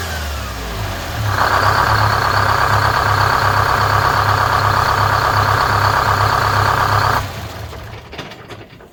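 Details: 4106 bus diesel after Allison V730 transmission swap, in shop: catches quickly, steady even idle with regular beat and no misses, then clean shutdown; normal start and idle.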